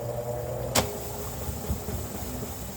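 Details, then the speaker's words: Top-load washing machine that scraped during wash and spin: after the 13 mm nut was tightened about five turns and the belt checked for free play, a steady low hum with one soft click and no scraping. The drum now spins freely and normally. "apertei umas 5 voltas essa porca 13 acabou o barulho"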